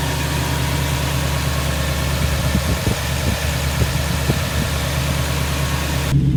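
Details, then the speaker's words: 2002 Toyota Tundra 2UZ-FE V8 idling after replacing coil packs and spark plugs to fix cylinder 8 misfire (P0308): steady even idle, smooth low burble, no stumble; misfire gone, normal idle. "okay cool it's been a few days and the truck's running great um it solved the problem and I've had no issues"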